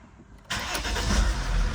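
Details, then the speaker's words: Mercedes E320 CDI turbo diesel cold start after oil fill, glow plugs and fuel pump primed first: quiet crank, catches at once and settles into a steady, even diesel rumble; fired right up, healthy. "fired right up okay sounds good sounds really good"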